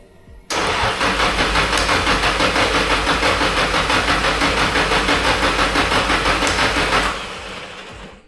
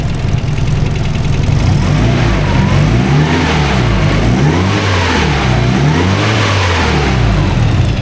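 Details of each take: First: SR32 engine on Link ECU, first start attempt on the initial base map: steady cranking about three beats a second for six seconds with no firing; fuel pressure dropped, no injector clicks heard; cured later by switching to the Link's preloaded base map. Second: SR32 engine on Link ECU, first start on the Link's preloaded base map, still untuned, fuel pressure present: deep strong engine revving up and down repeatedly, smooth and even with no knocks or misses; healthy running.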